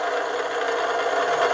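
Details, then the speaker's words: Bearing-and-race friction test machine under added weight, after adding ProLube Metal Guard grease, amps dropping from 5.8-5.9 A; steady even hiss, no grinding or scraping: smooth, quieter bearing running. "You hear the difference, and you saw the amps go down at the same time."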